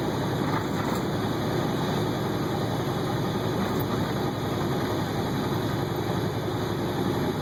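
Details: 2009 International ProStar semi-truck pulling a loaded trailer: even, heavy diesel drone under load with a faint steady high whistle on top, a healthy turbo spooling normally.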